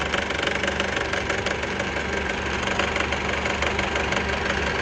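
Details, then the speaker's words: 2009 Honda CR-V 2.4: busy metallic chatter over a steady idle from the right-hand belt side of the engine; a worn drive belt tensioner, as the noise stops when the tensioner is pushed down. "You're hearing this noise on the side of the engine. That noise is coming from the belt tensioner."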